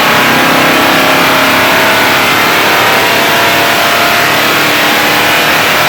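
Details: 1973 Dodge Charger, tired 400 cu in Mopar with new fuel system, intake and ignition, on a dyno pull; hard raspy V8 at high revs sounds flat and strained, running out of breath; likely worn original 1973 camshaft suspected.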